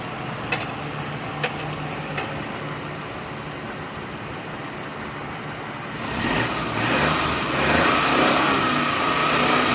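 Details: Car engine being checked for a noise complaint using a stethoscope-style testing scope, started and given light throttle blips: revs up and down smoothly with no knock, normal engine revving.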